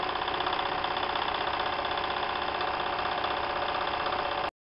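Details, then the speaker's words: Märklin 4097 steam engine, warmed up, running on a newly made crank after the old one's brass thread wore out. A quick, even chuff of about four beats a second with a light metallic patter: smooth and quiet. "now the engine has warmed up and you can hear that the machine is actually running very very quiet"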